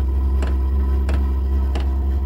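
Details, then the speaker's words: Vevor 12 V diesel heater first start in garage on battery (failed on power supply, draws 15-20 A); deep steady drone with crisp tick about every two-thirds second just after lighting, smoke outside; odd noise, cause unconfirmed. "Mon Dieu. Ça fait un drôle de bruit."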